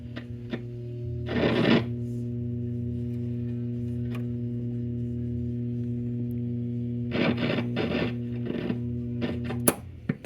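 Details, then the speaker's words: Zenith tube radio with a solid-state rectifier replacement: a loud, steady low hum under harsh, distorted audio; caused by a floating ground from a terminal strip wrongly assumed to be grounded, not a gassy tube as first suspected. "is an unhappy sound hmm almost sounds like we have a gassy tube or something not sure"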